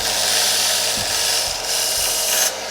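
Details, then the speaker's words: Benchtop belt sander on normal 120 V wall power, grinding the corners off a blade: loud, steady, high-pitched abrasive rasp with brief dips under pressure; full speed and power under load. "now that we see what the speed is, well, it's at full power with 120 volts."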